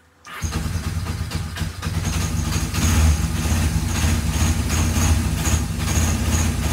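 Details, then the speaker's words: Free, rusty, long-neglected Kawasaki KZ750 after work: fires up straight away and settles into a steady, even four-cylinder idle with no knocks or misses; runs healthy. "yes started up actually doesn't sound terrible you know and I worked on these two and they both gave me fits"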